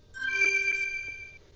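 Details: Xtra Atto dashcam shutting off: short bright electronic chime of a few high tones lasting about a second; normal power-off sound.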